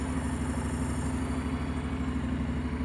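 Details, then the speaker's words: Honda NC750X DCT cold start on choke: steady, even twin-cylinder idle held slightly high, no knocks or rattles; runs nicely. "Ładnie sobie chodzi teraz jest na ssaniu wiadomo ma podniesione podniesione"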